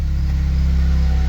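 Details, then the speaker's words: 1997 Nissan B14 200SX that had sat about 10 years, running after the fuel pump was replaced: steady, even low pulsing idle with a smooth rhythm and no knocking or ticking; normal healthy idle. "listen to that baby purr oh yeah [Music] dude oh it sounds so nice too"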